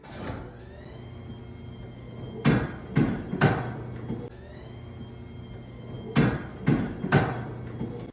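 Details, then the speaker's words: Garage door installed about a year ago, in dry winter: loud creaks, groans and dry squeaks in bursts during travel; installer says dry metal-on-metal friction; fix is garage-door lubricant or WD-40. "然后我就问了我那个装门的师傅，师傅说这个很正常，是因为冬天比较干燥，金属和金属之间的摩擦造成的。"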